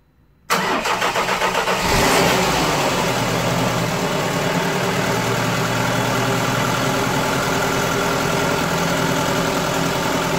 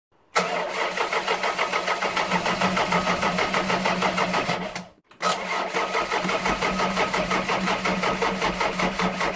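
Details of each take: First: Ford Fiesta 1.3 OHV engine restarted a week after a valve clearance adjustment: short crank, catches cleanly and settles into a steady, even idle with no tapping from the valve gear; sounds healthy. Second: Ford Fiesta with 1.3 OHV engine at idle, valve clearances too wide: quick, even ticking from the top of the engine over the idle; valve tappet noise from excessive clearance, before adjustment.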